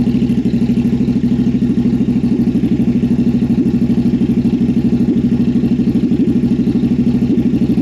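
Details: Jocker bobber V-twin motorcycle with new Cobra exhaust, cold start before carb sync: lumpy, uneven idle with dropped beats; front cylinder lean and barely firing, its exhaust port cool while rear got hot, improving once warm.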